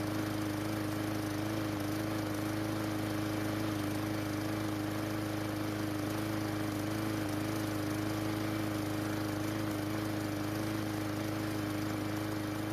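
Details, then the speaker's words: Murray lawn mower single-cylinder, after carburetor replacement (old carb shed debris, clogged, stalled): steady putter at constant speed, no surging or stalling; normal running, dirty air filter and old spark plug may make it slightly off. "well it starts and runs but the dirty air filter and the old spark plug might be causing it to run just a little bit off the good news is that it did not shut off on me when I was using it later on so our repair worked"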